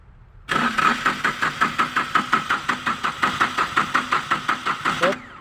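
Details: Yanmar 3TN diesel cranking: steady compression pulses about four per second for five seconds, but it never fires; cranks but won't start.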